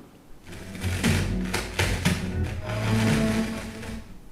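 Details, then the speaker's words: Music through a speaker broken by sharp crackling pops and bursts each time the volume knob is turned: a worn, crackling volume potentiometer. "yes does your speaker crackle like that every time you turn the knob or your ster your system for that matter"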